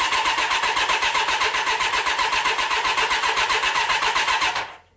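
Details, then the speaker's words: Old car that has never started properly when cold since its choke enrichment stayed slightly engaged; even starter cranking for nearly five seconds without catching, as if no fuel arrives; choke or throttle make no difference; hard starting, not flooding. "Et depuis, c'est toujours la merde pour y arriver. Au début, je pensais qu'elle se noyait, mais non, c'est pas ça. Comme d'habitude, hein, elle va pas vouloir démarrer correctement."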